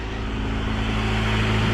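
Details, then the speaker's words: 2000 Honda CR-V with 170,000 miles, a theft recovery, idling on a cold day: a low, smooth, even hum with no misses, knocks or ticks. Light exhaust vapor is likely condensation. The engine sounds healthy with a normal idle. "man this thing is running smooth [Music] oh yeah she sounds good guys i think this one's gonna be a winner"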